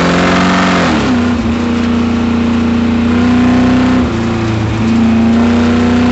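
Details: Chevrolet Camaro V8 (CP class) at full throttle during autocross: rough uneven rapping under the roar rising and falling with revs, first taken for a misfire; a spun bearing.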